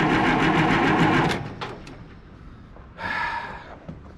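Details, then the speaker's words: 1968 Oliver 2050 tractor, 478 cu in Hercules diesel, cold: starter turns over at an even four beats a second, no start; fuel flows at bleeders, owner suspects air in injector lines. "well it should have oil pressure by the time I get the fire up basically did there and then died thank you this ain't looking good"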